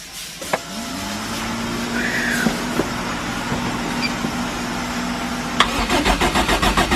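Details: Forged Toyota 5E-FE with big camshafts, first start-up, gearbox removed with flywheel bolted to crank; catches after a brief crank, settles into a steady, loud idle, quick blips rise and fall cleanly; runs healthy.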